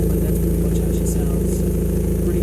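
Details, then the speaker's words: Nissan S13 SR hatch during coolant bleeding (no antifreeze added yet), AC compressor not yet hooked up: a low, even exhaust burble at about 800–900 rpm idle with temperature holding steady and no misses, running smoothly. "right now she's idling really really really nice temperature's holding good it's right at about eight 900 rpm which is right where we want it"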